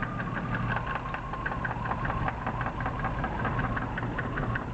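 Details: BMW E36 323i, M52B25 engine, 140,000 km: fast, even tapping over a steady idle, unchanged as each ignition coil plug is pulled in turn (cylinders 1–6), so owner doubts a rod bearing failure.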